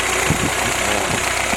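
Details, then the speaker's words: Willys F-head four-cylinder after rebuild, break-in run indoors near 180–185 degrees with no fan, new Weber carb replacing troublesome YF carbs, Rockford PTO fitted: steady, even idle with soft regular beat, no knocks or misses; runs smoothly. "weather is idling nicely and uh okay guys the weber did much better than those uh yf's"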